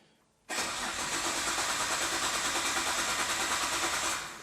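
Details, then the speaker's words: Imported Nissan GT-R with unknown history, first start attempt with fuel, power and oil added: starter cranks evenly about three beats per second, never fires, winds down; fuel pump getting only 5 volts, wiring faults suspected. "Press the black button. The engine sounds good. Even though it's not starting, it sounds good."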